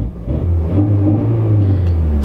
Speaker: good no misses so here we go